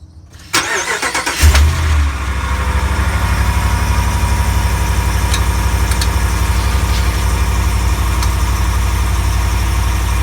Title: 2020 ram 1500 Big Horn clunking noise start up at the driveshaft